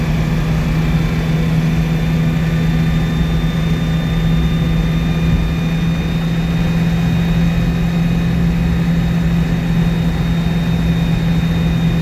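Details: 1962 Citroën 2CV twin on a test drive after engine rebuild: even, steady low drone with constant buzz and no knocks or misses; runs smoothly.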